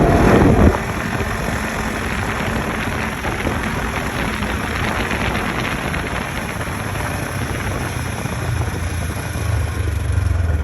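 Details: 2015 Polaris RZR XP4 1000 with Packard turbo and Boondocker clutch system: engine rumble under throttle, then a high whine sweeping down on deceleration; persists after new belt and cleaned sheaves.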